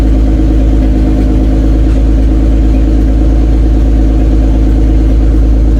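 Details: Toyota Cressida MX83, just started after engine reinstall and distributor re-timing, cold, exhaust not fully plumbed in: loud, deep, steady idle with an even beat, no misses, some exhaust puffing; oil pressure good, runs well.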